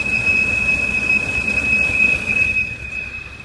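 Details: 2007 BMW 328i automatic; steady thin high whistle over a quiet engine, occurring randomly when decelerating and at stops, gone after restart; not belt; others fixed it via cracked valve cover or gasket leak; small vacuum leak suspected, unconfirmed.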